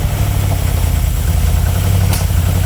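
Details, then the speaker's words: Barn-find 1970s Aston Martin Lagonda V8, just revived, idles with a deep loud lumpy slightly irregular beat and hesitation; rough uneven idle, imbalance expected, cause not confirmed. "this this one and this one which will be the imbalance that sort of hesitation yeah is is to be expected but that's cool got it running"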